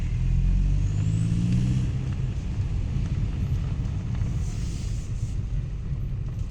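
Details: Saab 9-5 Turbo accelerating in second gear to about 50 km/h on snowy road: heavy rumble under boost with faint rising whistle, owner first suspected front flex joint; actually loose downpipe leaking exhaust, fixed by retightening nuts.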